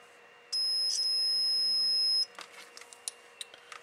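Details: Samlex RPS-1204 power supply repair: the removed protection diode gives a solid high-pitched continuity beep lasting almost two seconds, showing it is shorted straight through.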